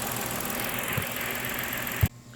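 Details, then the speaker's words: Ford Explorer 3.5L Ti-VCT V6 after replacing all coil packs to fix a misfire and clearing codes: steady, smooth, even idle with no stumbling, then shut off; definitely not misfiring now. "It's definitely not misfiring or anything at this point."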